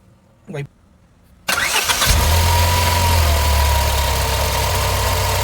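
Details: Car with heavy age-related engine vibration, after oxygen sensor removed, carbon-cleaned and refitted with copper anti-seize and copper washer: starter cranks briefly, catches at once, steady even idle, no shake or stumble; normal start and idle.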